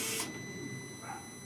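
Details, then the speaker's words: Fiat Panda 100HP T-Jet at key-on after months sitting, with a suspected bad battery and a jump starter pack: thin, steady high whine holding one pitch for a second or two; normal fuel pump priming. "so the car did something there let's see if we can start it now there's the fuel"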